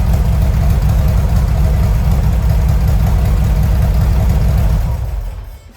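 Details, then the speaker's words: 1970 VW Westfalia engine at idle just after new Weber 40 carburetors and engine-compartment upgrades; smooth, even low thrum with no misses, 50 psi oil pressure, 4 psi fuel pressure, then shuts off cleanly; normal healthy idle. "Let's start it up so you can hear it. sounds really, really good. Those 40s are working really good. We got 50 pounds of oil pressure, 50 libras, 4 libras de gasolina."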